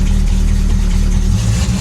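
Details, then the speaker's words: Long-sitting Dodge Dart Swinger 340 V8, carbureted with a mechanical fuel pump, just started with the choke not yet open. Deep, steady burble idling on its own with an even beat and no knocks or misses: normal idle. "oh she sounds great I'm not even on the throttle anymore guys she's idling on her own just like that"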